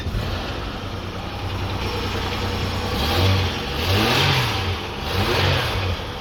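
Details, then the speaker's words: Holden Commodore after replacing failed Chinese injectors with Bosch injectors: catches quickly on the key, then smooth steady idle with light blips rising and falling cleanly; runs well, no longer misfiring. "mint I haven't heard it run like this on the button yeah victory victory guys never give up"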